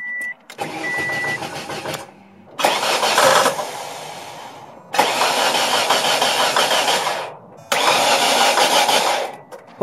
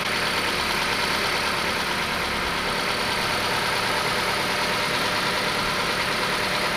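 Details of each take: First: Ford Escort started for the first time in almost two years after a new battery: warning chimes, then short starts that run harshly clattering and cut out; knocking first thought rod knock, explained as oil-starved variable valve timing before oil pressure builds. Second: Steady, even petrol idle with no knock from a Ford Escort with variable cam timing that sat over two years; a knock after sitting went away once oil pressure built up, with a fresh battery and old fuel.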